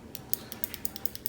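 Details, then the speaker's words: New replacement microswitch (SZM-V6-FA-63 type) for a Power Air Fryer XL that would not turn on, clicking crisply about ten times per second in a quiet room; normal switch click, old one failed. "hear that click the one on here doesn't do that anymore it's it's clicked its last click guys"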